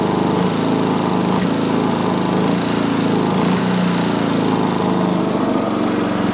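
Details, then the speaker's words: Sovereign lawnmower small engine still under-revving after cleaning gunk and grime: steady but lowish, flat speed with no pickup, not reaching full governed speed. "okay still not revving as high as i would like so what i'm going to do i'm going to start up again and then remove the pull cord very very gently"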